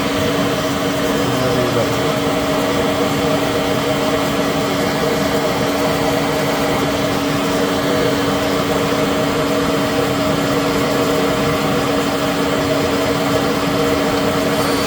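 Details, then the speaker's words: Citizen L20 CNC Swiss lathe main spindle at 7,000 rpm, with a brand new spindle drive, near the rotary guide bushing: very quiet, steady even high hum, no knocks or grinding; normal running. "You can hear it very quiet. 7,000 RPM spindle."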